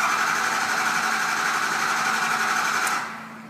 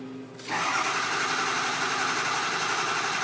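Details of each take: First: 6.0L Powerstroke diesel with crank no-start and ICP-too-low codes, oil at the bottom of the hash marks, cranked to check base oil pressure on the cluster gauge. Steady cranking about four beats a second that never catches: no-start from low injection control pressure. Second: 6.0L Powerstroke with crank no-start and low ICP, cranked after replacing the original IPR valve while ICP builds and the high-pressure oil rail fills. Quiet cranking with faint whirring, then at half a second a loud, steady roar as it catches and keeps running.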